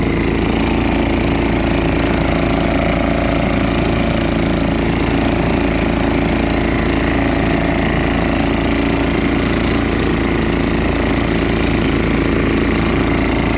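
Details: Junkyard Billy Goat leaf blower with a Subaru Robin engine, next day on fresh gas after difficult starting, running normally: loud, continuous engine run with a fairly even beat and no misses or knocks.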